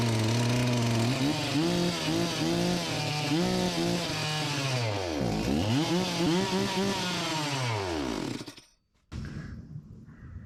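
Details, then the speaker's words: Farmertec MS361 knock-off two-stroke chainsaw after top- and bottom-end rebuilds: screams at high revs, pitch surging, never settles to a low idle; revs too high and won't idle. "that that you just saw is not a good example of running right the current symptoms are that it revs too high and it doesn't idle"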